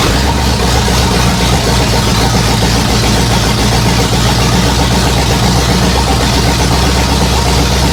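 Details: 1964 Ford F100, cold, running for the first time in 20+ years: a steady, even idle with a constant low rumble and no knocks or misses.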